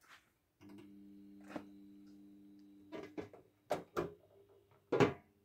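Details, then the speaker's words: 1960 industrial fluorescent fixture with T12 tube, original starter and ballast, no capacitor fitted: low steady ballast mains hum, then sharp clicks and crackles as the starter fires and the tube lights normally; normal startup. "Et on rentre bien, joli petit bruit, voilà, sympa."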